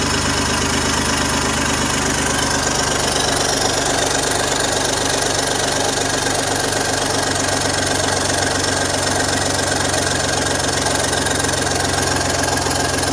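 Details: BMW M54 inline-six at idle: fast, sharp, crisp ticking over the idle from an exhaust leak puffing.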